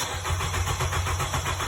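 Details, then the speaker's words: 2014 Nissan Rogue, code P0335, engine replaced and two crank sensors tried. Steady cranking pulses with no firing. Scope on the sensor signal wire shows 5 V from the computer but no crank sensor signal, so it won't start. "no signal 5 volts is there from the computer but there's no signal all right um we're going to investigate and see what happened here but um this is why it's not starting crank sensor is not producing any signal okay"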